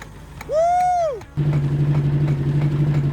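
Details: 1979 Mercury Capri Turbo RS, unused 23 years, first start: after a rising whoop the engine catches and idles low and uneven, missing and stumbling as if fuel-starved. Cause not confirmed.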